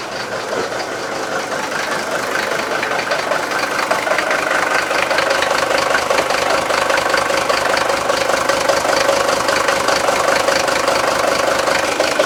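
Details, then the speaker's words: Mercedes-Benz S123 300TD turbodiesel (W123), after radiator work for a coolant leak and a transmission fluid top-up: started with the radiator cap off to burp out air. Steady, even diesel idle with a regular light clatter. Normal idle. "I'm just going to start it up, take the cap off and make sure that it burps any excessive air."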